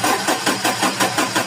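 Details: Toyota 1RZ engine won't start, fuel tank seemingly not priming; steady starter cranking about five or six compressions a second with no firing; fuel pump relay, apparently water-soaked, replaced.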